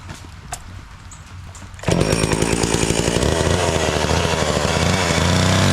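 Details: Homelite 240 chainsaw, owned about 20 years, running again after sitting unstarted, once the air filter was cleaned and it was reassembled. Quiet handling, then it snarls to full revs and holds a steady buzzing pitch while cutting wood, pulling cleanly.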